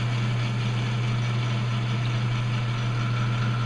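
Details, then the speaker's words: Lathe turning a workpiece held between centers, on a cleanup pass: low steady hum with an even, unbroken cutting sound and no chatter or rhythmic thump; a couple of low spots remain. "And it's starting to sound pretty good across here."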